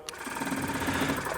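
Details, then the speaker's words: 2016 BMW 750i with air suspension fault: new replacement compressor tested, fast even chatter with steady hum, pressure almost off the scale versus almost nothing from the old unit; old compressor confirmed bad. "yeah big difference almost going off the scale one more time so we definitely confirmed we've got a bad compressor"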